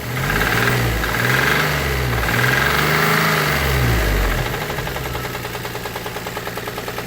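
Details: Geo Metro small petrol engine revved a few times, then idling with a steady deep knock about three times a second. Suspected rod knock with rough main bearings, not confirmed; the engine is to be swapped.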